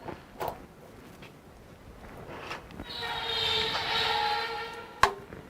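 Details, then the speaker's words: 2026 Texas Corn Roaster, already burned in hot: short high thin squeak about two seconds as the mechanism moves; normal harmless squeak that all of them make. "It'll squeak like that a little bit because it's already been real hot when I burned it in. Doesn't hurt anything, all of them are going to do it."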